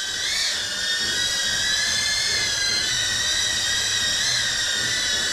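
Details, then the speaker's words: Newbeedrone Acrobee75 with a DJI O3 unit, flying in air mode on the stock factory tune: high-pitched motor scream that wavers and warbles while the quad visibly shakes. The oscillation comes from the poor default tune. "Jadi ini adalah default pabrikan. Dia bergetar. Dan teman-teman dengerin suaranya menjerit guys."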